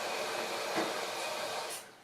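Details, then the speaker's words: Maytag Epic Z front-load washer after replacing failed drain pump (wouldn't drain or spin): steady even whir with no knocks, rattles or grinding before fading out; running quietly, working fine. "t to start normalizing back to where it needs to be nice and quiet everything seems to be working fine"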